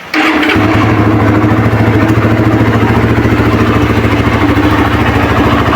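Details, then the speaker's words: Suzuki Satria FU 150 checked before buying: quick start, then a steady, even idle thumping about three times a second with no rattles or misses; the engine sounds normal. "Terus kita cek dulu suara mesinnya ya, dia getar apa enggak gitu kan."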